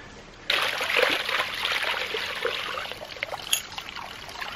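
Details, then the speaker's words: New 2-inch Agri Papa Pump ram pump on a quick test install: water gushes with gurgling, spitting air bubbles. The manual showed one of three rubber O-rings was missing, letting air in. "a quick look at the manual showed me that i was missing one of these rubber rings in here so they're supposed to be three of them i just had two"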